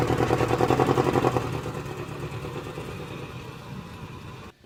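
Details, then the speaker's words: Nissan 240SX S14 with stock muffler and resonator delete, creeping from driveway into garage; low, raspy exhaust drone with steady firing pulses. Owner says the motor is in good shape; a throttle hesitation issue is being chased separately. Normal running, loud exhaust. "yeah that's how it sounds nothing crazy it's literally the stock exhaust with the resonator delete"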